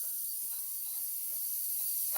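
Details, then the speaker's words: Traxxas X-Maxx RC truck at power-on: its small cooling fan makes quiet, uneven ratcheting ticks and a thin hiss, as if something is catching and scraping the blades. The motor also spins the wrong direction. "sounds terrible holy smokes doesn't sound like that sounds like there's something like"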